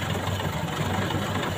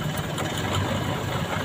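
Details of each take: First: Four-cylinder engine at idle with one spark plug wire pulled so that cylinder produces no power: low, uneven, lumpy shaking pulse instead of smooth hum; misfire from dead cylinder. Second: Four-cylinder engine at idle with all four spark plug wires connected, during a plug-by-plug vibration check: steady low rumble with an even, smooth rhythm and no dropouts; normal idle.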